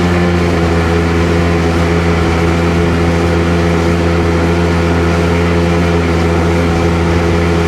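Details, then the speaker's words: Sea-Doo GTX DI 951 two-stroke lake test after new solenoid and hard line installed, idling around 1450 rpm: steady even drone with clean low hum, no misses; running way better, though owner still suspects an aging fuel pump. "Yeah, seems a lot better. Oh yeah, way better. I think we got her."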